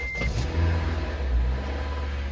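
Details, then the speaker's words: Honda Element with JDM K24 engine swap, first start, no serpentine belt or alternator fitted, weak battery: catches on first crank and settles into a smooth, even low idle with no knocks or ticks; sounds healthy. "Worked. First crank, first start."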